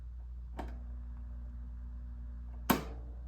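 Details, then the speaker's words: 1983 Crown 12-inch oscillating fan, initial test run after acquisition; faint steady low hum with two switch clicks, no rising fan sound; motor energised but stalled, capacitor failure suspected. Motor hums but does not start. "okay so looks like we might have a capacitor failure here because if I apply power to it and you listen carefully you can hear a faint buzz from the"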